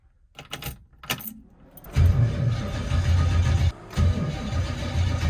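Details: 1968 Chevrolet Camaro SS start attempt, before jumper cables used: slow, uneven cranking about one beat a second with keys rattling first; engine never catches, cranking but no start, weak battery suspected.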